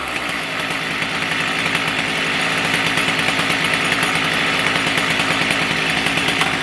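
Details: Stihl MS310 chainsaw, warm following ignition coil/gap repair (previously stalled after about 2 minutes when hot); steady high-pitched two-stroke buzz with slight burble at fast idle, no cutting out; normal running.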